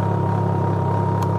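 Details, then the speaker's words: Can-Am Ryker idling after sitting a couple of hours in Houston heat: steady thin high-pitched fuel pump whine over the idle rumble, not the cooling fans; stops instantly when the motor is killed. "you can hear that whining fuel pump now, and the bike's been sitting for a couple of hours."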